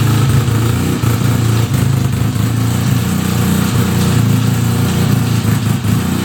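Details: 1975 Suzuki RE5, just fully restored: a steady low engine drone with a busy mechanical rattle underneath after starting, an abnormal transmission noise; cause unconfirmed, engine to be removed to inspect the transmission internals.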